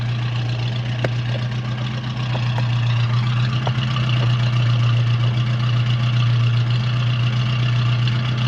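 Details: 1970 Ford Mustang V8 with power steering and brakes, just started, oil pressure rising, alternator working: deep even idle with a steady low beat that lifts slightly and holds smooth, no ticks or knocks; normal idle.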